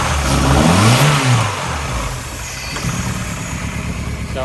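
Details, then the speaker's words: Suzuki Swift GTI after fixing a miswired yellow wire so injectors get fuel: uneven loping idle, choppy beat about three pulses a second through revs, from lumpy cams with no tuning. Lumpy idle from aggressive camshafts. "still needs some journey still needs a little bit a little bit of work because it's got lumpy cams and no tuning for it"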